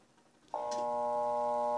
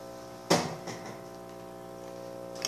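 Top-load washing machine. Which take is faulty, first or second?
first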